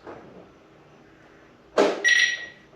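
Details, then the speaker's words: Polestar 2 in garage, heard from outside: solid latch thunk then a brief high electronic chirp, the locking noise: normal door locking sound. "That's the locking noise. Interesting noise. I've only heard it on Volvos."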